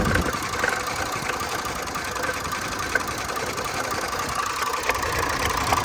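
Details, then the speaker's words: Range Rover Supercharged 400 idle with a mostly even note that stumbles now and then, with uneven ticks underneath; a slight misfire remains, with fuel and cam codes stored; mechanic suspects the fuel code, possibly timing. "طبعا التفتفة لسه موجودة بحكم الكود حق البنزين اكيد، الا لو لا قدر الله في مشكلة في التقسيمة"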